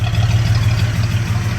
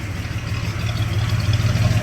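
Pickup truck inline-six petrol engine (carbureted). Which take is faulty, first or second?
first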